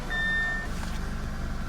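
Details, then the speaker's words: Audi A6 C7 push-button start with a malfunctioning, unrecognized key fob, started by holding the key against the marked steering-wheel area: a chime, then the engine catches and settles into a steady, even idle. Runs normally. "so now we are going to put the key in front off as you see it started"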